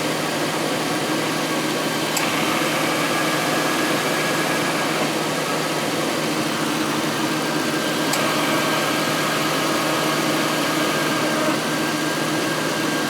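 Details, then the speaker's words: 2000 Ford Crown Victoria idling during AC recharge from a can: sharp compressor clutch click about every six seconds, low-side pressure dropping into the 20s; compressor short cycling from low refrigerant, staying on longer as it fills. "so still dropping down pretty well see now we're dropping into the 20s and the ac compressors staying on longer"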